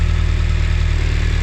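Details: BMW K1200 four-cylinder motorcycle idling while the in-tank fuel pump is switched off and back on via a manual switch. Smooth, steady low hum with a fine even pulse and no misses or knocks. Normal idle.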